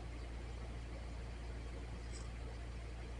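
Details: Honda CB900 after carburetor install, first fire on full choke: quiet, steady low rumble with even beat and no misses; engine idling smoothly.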